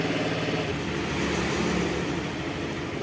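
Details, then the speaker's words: Carbureted Honda Vario 110 scooter idling with the battery disconnected: steady, even single-cylinder idle without stumbling or dying, indicating charging is working (uncharged battery read about 10 V); normal idle. "Oke ya, kita cabut. Ini masih bisa hidup, menandakan pengisian masuk."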